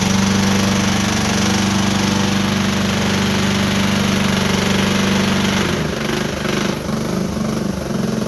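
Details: Mower engine at steady throttle with a dull, uneven knock low in the engine, about three or four a second; suspected rod knock on the bottom end, oil very black, owner thinks it may last a season or more.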